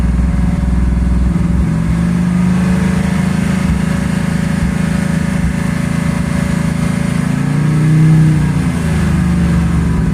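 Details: 1984 Ford Mustang 5.0 V8: deep, lumpy, uneven running with irregular stumbles. The misfire comes from a failing primary (12-volt side) ignition circuit, specifically the pickup coil; the module had already failed.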